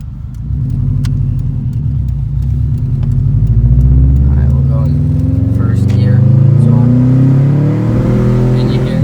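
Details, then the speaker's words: Subaru WRX, manual, about 2,285 miles, pulling through first gear past 4,000 rpm: note climbs then wavers and flattens instead of rising cleanly; engine lags/hesitates at high rpm, otherwise runs well, cause unknown. "it just lags the ramp so and again other than that it runs really well so i have no complaints on that"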